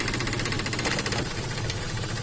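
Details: Toyota Axio petrol engine idles with a rough, slightly wavering rumble and uneven beat; dirty electronic throttle body (butterfly) causes RPM problems, low pickup, AC problems and stalling. The fix is cleaning the throttle body.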